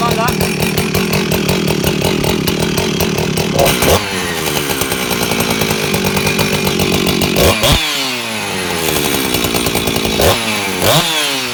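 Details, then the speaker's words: Husqvarna 357xp two-stroke chainsaw after a full rebuild with pressure test and exhaust muffler mod, not yet fully tuned: crisp buzz revving up and down cleanly, picking up fast and dropping back to idle. New exhaust sounds good; healthy saw. "okay guys so that is the sound of the new exhaust that sounds beautiful it picks up really well"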